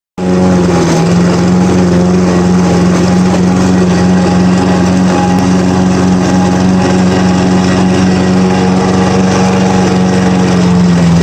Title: Poulan pro mower grinding noise